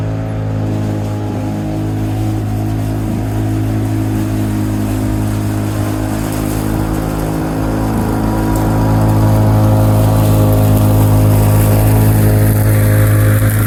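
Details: 1987 Lawn-Boy 8073B two-stroke mower, first run after sitting almost a year, new greased capstan rollers fitted: steady even buzz holding speed under load, no misfires, surging or knocks; hard starting but runs fine.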